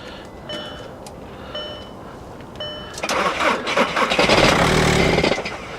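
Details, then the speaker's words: Nissan Armada on a warm day, cranking with the glow plug light constantly flashing on a booster pack: a few slow cranks, then it catches for about two seconds and dies. Owner suspects a motor mount is out. Starts then stalls. "It's like it fires up and then shuts right off."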